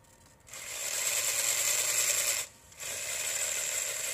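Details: RC4WD Trail Finder 2 with a new Holmes Hobbies Torque Master 540 Sport brushed motor, newly set pinion and a two-speed transmission. A steady, loud, high-pitched gear whine over the motor, briefly dropping out. Mesh looks good but sounds wrong; cause unknown.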